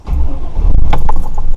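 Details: GM/Chevrolet vehicle after replacing stripped battery side-post terminal bolts, positive then negative reconnected and tightened: a short crank, then the engine fires straight away and runs on smoothly; normal start.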